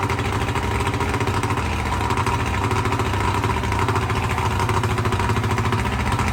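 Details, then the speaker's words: 1995 Johnson 70 hp outboard after new CDI spark control modules, coil wires, plug wires and spark plugs, started cold before warm-up: steady, even idle with smooth regular pulse, no misses, knocks or hunting; runs normally. "everything is new and it runs great I tried it out last night"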